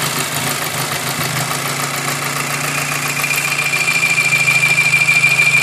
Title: Strange noise vw golf 5 gti